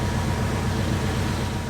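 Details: Truck just started by Allstart Ultra Boost 4000 amp jump pack from a completely dead battery: steady low rumble, even beat, no knocks or misses; normal idle.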